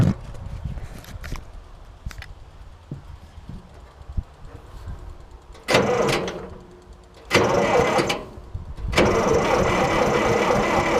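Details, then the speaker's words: IH 2504 tractor with Continental C-153 gasoline engine, first firing after sitting for years: cranks and catches in three short rough, lumpy bursts that stumble and die; owner suspects one cylinder firing or timing one tooth off; rough start-up running. "i detected a little bit of a lope there huh imagine that probably have one tooth probably have one cylinder"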